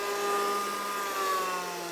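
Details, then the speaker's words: DeWalt framing nailer (BOLTR), flywheel motor spinning freely: a smooth, steady high whir like a hairdryer, pitch easing down slightly; flywheel runs cleanly and normally. "Kind of sounds like a hairdryer though."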